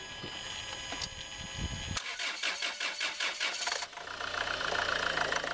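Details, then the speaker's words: Land Rover Freelander 2 2.2 diesel at shutdown: a pulsing high-pitched squeal chirps from the throttle valve/body in the intake, then fades; replacement throttle body part is PN LR012598. "oh can you hear that it's squealing like a little piggy and then it stops now to me that doesn't sound good"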